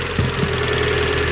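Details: 2008 Renault Clio after repairing corroded wiring harness causing immobiliser no-start: short stretch of even, steady idle with constant low drone and no missing beats; engine settled, fault fixed.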